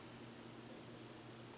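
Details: Western Digital 4TB Green hard drive newly fitted in an OWC miniStack Classic enclosure, chassis open beside a Mac: faint steady low hum with soft airy hiss, no clicks or scraping; drive spins up and runs smoothly.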